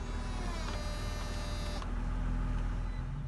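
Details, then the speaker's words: 2004 BMW Z4 E85 convertible top pump, relocated to the trunk and refilled about twice after running dry from a hinge leak. A quiet, steady hum with a faint buzzing flutter while still purging a lot of air. "that's better good because i move the motor to the trunk that's making a little more noise just bleeding a lot of air out of it now"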